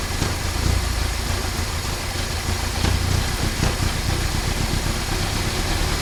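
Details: 1968 Triumph Herald 13/60 four-cylinder, off the road for a while, first start after new distributor cap: catches and runs with a deep rumble, picks up on a throttle blip and keeps running normally.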